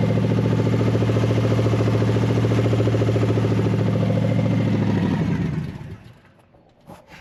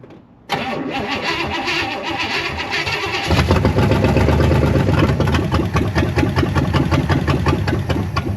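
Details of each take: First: Barn-find big-block V8, after fuel was added to the fuel bowl: settles into a steady, even lope with a deep low rumble for several seconds before shutting down; sounds healthy. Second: Barn-find big-block with a 750 double-pumper carburetor, old starting fluid sprayed in: even cranking, catches and roars several seconds, then dies back to cranking; fuel bowl likely empty, probably not getting fuel.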